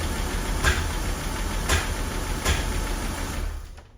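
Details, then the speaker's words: Rolls-Royce Corniche V8 after new ignition leads were fitted: a rough idle with a sharp stumble about once a second, a misfire from two leads crossed out of firing order. "let's give it a go well that doesn't sound right n that's just not"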